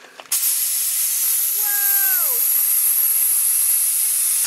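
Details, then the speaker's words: School bus (skoolie) brake air tank being drained: a loud, steady rush of escaping air for about four seconds with a short falling whistle midway, blowing out any water. Normal air tank drain hiss. "releases any uh water that might be present in the tank and blast it out as well so that's another reason to make it something you want to do"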